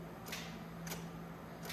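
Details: 2009 Honda Accord no-start, towed in; while cranking with dash and interior lights steady, battery judged good, only a few sharp isolated clicks over quiet background and the engine never turns; seized starter motor.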